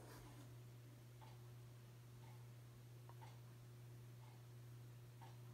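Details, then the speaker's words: 42-inch Hampton Bay Landmark III Plus ceiling fan (2019 remake) on low speed: steady low electrical motor hum with faint ticks about once a second; buzzing gets worse on medium and loudest on high, cause unclear. "Probably hear the buzzing noise it makes, but gets even worse on a medium and high. High is its loudest speed."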